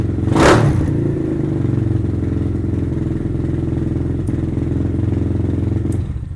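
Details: Venom Thunder 125cc dirt bike, Nibbi carb with fuel enricher on, just kick-started: the single settles into a steady, even idle with a firm low thump, nothing rattling; healthy idle.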